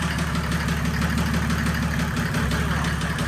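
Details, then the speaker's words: 1984 Mercedes 190D with a built 1998 OM606 turbodiesel drag engine at idle after a full-power pull: a sharp knock about three times a second over the diesel clatter; the owners suspect a bad injector, not confirmed. "Yeah. That sounds injector. Yeah, that was weird. Dude, if that's injector."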